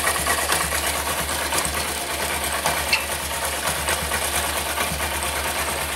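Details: Honda SP125 BS6 motorcycle with chain-sprocket set at 42,417 km, after the chain noise fix: even engine hum with a smooth chain whir, no slapping or clatter; chain drive now quiet.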